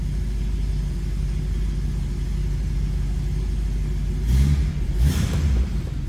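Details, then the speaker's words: 1966 Ford Mustang coupe, 289 V8, no crazy exhaust, just after cold start with oil pressure up: steady deep V8 burble at cold idle, even firing with no knocks, ticks or misses; sounds as it would have back in the day, healthy. "Sounds pretty good. What you'd expect out of a 289, no crazy exhaust. Sounds like it would have back in the day."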